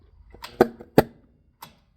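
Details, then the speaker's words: Old Emglo two-stage four-cylinder shop air compressor whose electric motor quit: two sharp pops a third of a second apart, a faint third, then no motor hum; electric motor burnt out, later replaced along with the belt. "Well guys, my compressor quit, and this is a little scary."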